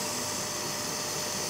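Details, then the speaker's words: Hazer Unique 2 after repair of failed air pump (error E-8) and poorly flowing vaporizer, mixer resealed with nylon tape, running at full output (99); steady even airy hiss with constant fan rush, no surging; normal operation at full output. "fučí to na plnej výkon už zase nevidím takže to stáhnu e dolů"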